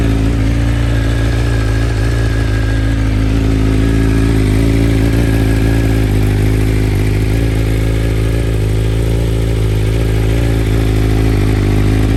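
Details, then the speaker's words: 2021 BMW M1000RR with Stage 1 ECU flash, first cold start of the day: steady even idle, smooth low thrum, no hunting, dips or stalling; flash flattened factory idle variation and stalling. "and you can hear that sounds nice and even sounds like a good idle right there no stalling no issues"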